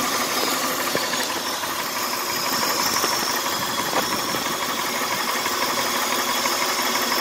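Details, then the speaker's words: 1999 Honda Odyssey idles evenly with a steady high airy hiss over the engine. The owner suspects a vacuum leak underneath the intake manifold; not confirmed. "Sounds like an air leak somewhere right here."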